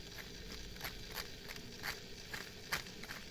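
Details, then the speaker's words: Jouef shunter model locomotive running on a nylon drive gear: harsh whirring with sharp clicks about three times a second; the drive gears are very noisy. "look at that gear wheel right and it's running on a nylon gear the camera will pick it up there you go but it's so noisy listen"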